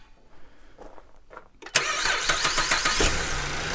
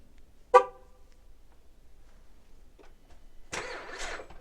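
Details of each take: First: 2011 Buick LaCrosse CXS in cold weather, after a battery that tested good was fitted for slow cranking: brief brisk cranking for about a second, then a clean catch and steady idle; starting is healthy, though owner suspects the starter may be failing. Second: Cold 2011 Buick Lacrosse CXS on remote start: after the horn chirp the starter grinds slowly, about three labored turns a second, before catching; weak battery, later tested and replaced.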